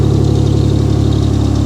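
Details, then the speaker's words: 1998 Mitsubishi Diamante: a steady, even low idle rumble with a smooth repeating beat and no knocks or ticks; normal, healthy idle. "it really doesn't sound bad i'm a fan of this thing it's a 98 right"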